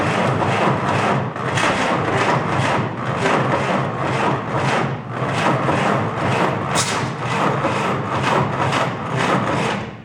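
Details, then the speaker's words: 1949 Willys F134 engine, spark confirmed, fuel poured into carb that leaks out the bottom: slow regular starter chug about two strokes a second, never catches; cranks but won't start. Owner suspects carb needs attention or cranking too slow. "Wants to start. I think we're getting close. Doesn't quite want to pop off."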